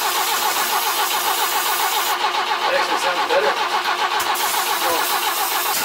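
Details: BMW E21 cranking after plug leads on the distributor were swapped to the opposite order to cure intake backfiring: fast steady cranking, about 3.5 beats a second, with occasional pops, now firing out the exhaust not the intake; won't start, timing still suspected.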